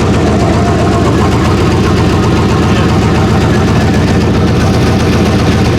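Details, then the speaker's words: Chevrolet Silverado single cab V8 with an electric exhaust cutout: deep, steady idle burble, even and without misfires; sounds like a stock truck. "it sounds like a stop truck it just needs power throughout right"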